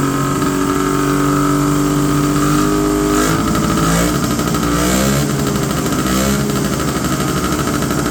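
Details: 1970 Polaris Mustang two-stroke snowmobile, unstarted about 10 years, after turning each carb's idle screw down a quarter turn: burbles at a raised, uneven idle that never settles low; idle speed still too high, screws didn't help.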